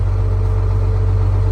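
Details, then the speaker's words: 1979 fire truck with a two-stroke Detroit diesel, 73,000 miles, started after sitting for years while air pressure builds. Deep, steady low drone with an even fast beat and no knocks or misses. Healthy, smooth idle. "She's just sitting here purring. I figured it'd start right up. Those old Detroits are tough to beat."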